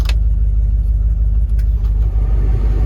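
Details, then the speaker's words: 1977 Ford Ranger truck parked about 25 years, just revived with fresh gas: deep, steady idle at about three pulses a second, no misses or knocks, warming up to clear old fuel from the line. "she sounds pretty decent i'm gonna let it warm up for a bit clear the old fuel out of the line"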